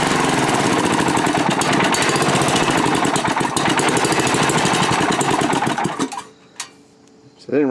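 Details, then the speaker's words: Manco Rattler II go kart, small single-cylinder engine on first start after rebuild, still cold, carburetor without choke; choppy uneven beat about three pulses a second that stumbles and fades, rough running; no smoke or ticks, accelerates well. "too too bad we'll have to see you know he saw no smoke it's not making any ticks it accelerates good it's still a little cold so maybe i gotta wait for it to warm up because this is not a carburetor with a choke on it"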